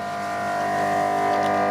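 Steady electrical hum with a clear fixed whine around 700 Hz, no fluttering or crackle; a new charger running normally.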